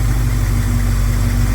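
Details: 1971 Plymouth Scamp at idle after vacuum leaks were plugged, timing unchanged: low, steady, even pulse with no misses, stumble or hiss, running very smooth; normal idle.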